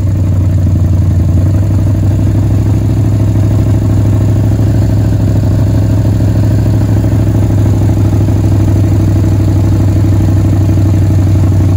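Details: 1967 Chevelle former dirt track race car V8, revived after sitting in the woods: deep, steady rumble holding an even idle with no misses, knocks or ticks; normal idle.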